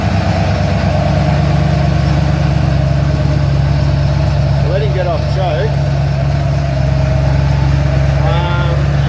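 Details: Ford Falcon XC GXL's restored 351 V8 idling, not yet warmed up: a deep, even, steady burble with no misses, ticks or knocks. Running smooth and healthy at normal idle.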